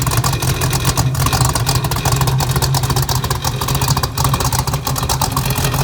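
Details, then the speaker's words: 1968 Pontiac Firebird 400 convertible, true 400 V8 with Kauffman D-port aluminum heads, 700R4 automatic, dual exhaust, frame-off restored, started up: deep, even V8 rumble with clean throttle blips rising and falling, no knocks or misfires; sounds good, normal idle and revving. "Man, that sounds good. Cut it off here."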